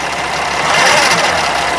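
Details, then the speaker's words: 2013 Freightliner Sprinter 3.0 L diesel in limp mode, losing power and not going over 40 mph; held at raised revs with fast light clicking over engine note, feels like binding; source not identified. "This thing doesn't sound good. Um, do you hear that noise? That clicking noise?"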